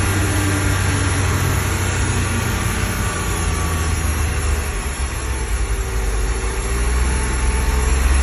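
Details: 2025 XD1500 NSU: engine drone at a steady speed with a faint, slowly wavering whine on top; whining noise whose source can't be pinned down by ear.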